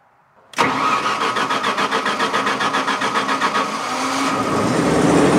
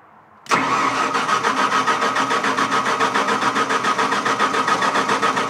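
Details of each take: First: Onan generator started with no breaker to test three-phase voltage: catches within a second, pulses briefly, then holds a steady, even run; about 210 V measured, likely 208Y wiring; runs normally. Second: Onan generator being started to test three-phase leg voltage, wired straight to the generator with no breaker: steady rhythmic cranking at about 3.5 pulses a second that does not catch here. It eventually ran, giving 210 V, likely a 208Y configuration.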